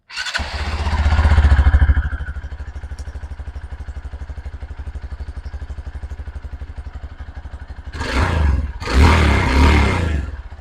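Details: 2023 Hero Xpulse 200 4V single-cylinder motorcycle idling with steady thump around three per second, revved briefly twice; faint extra clatter on the idle, engine noise issue, source unclear.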